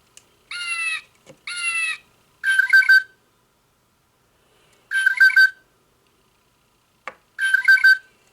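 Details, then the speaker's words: Singing bird clock after repair: short bursts of clean electronic chirping, very digital but no longer distorted; songs stored on epoxy-covered chip. "It does sound very digital. Um I think the Autobon Society one had a better um realistic bird sound. This sounds very digital, but it's not distorted anymore."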